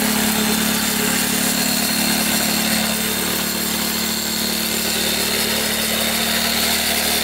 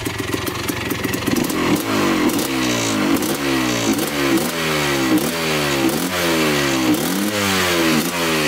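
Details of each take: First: 1984 Yamaha YZ 490 two-stroke after being flooded, warming up, plug possibly fouled; crisp, steady idle with even popping rhythm, no stumbling or misfires; normal two-stroke idle. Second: 1984 Yamaha YZ490 two-stroke, choke off, first ride after brief warm-up: repeated throttle blips with soft, slow-climbing pickup, boggy throttle response, seems to be running rich.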